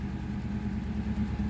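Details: 2001 Mitsubishi Lancer petrol engine idling with a slightly uneven, wavering beat and faint speed hunt; rough idle with pickup and rpm problems, temperature sensor and injectors mentioned as suspects, not confirmed.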